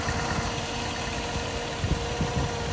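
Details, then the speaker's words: 1958 Chevrolet Biscayne with Level Air suspension, engine idling; the level air pump runs filling the tank with a steady even pumping hum, no knocks or grinding; compressor working normally. "so here's the level air pump here it's putting air into the tank"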